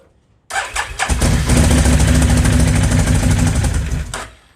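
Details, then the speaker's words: Can-Am Outlander 800 XTP, 5,200 miles, after bad ignition switch found: cranks, catches and runs rough about three seconds, then fades and dies, no check engine light or dash display; cause not yet found; starts but will not stay running. "now the ignition works that was just a bad ignition switch however it's not wanting to stay running"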